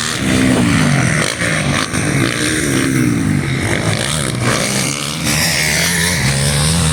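Crisp single-cylinder bark that climbs and falls cleanly with the throttle, firing steady and free of knocks or rattles; a healthy engine.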